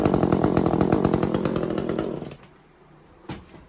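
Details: Echo CS400 chainsaw after oil pump replacement, started to check oil pumping: crisp, even two-stroke rattle at steady high revs, then a clean shutdown; saw runs smoothly and healthily.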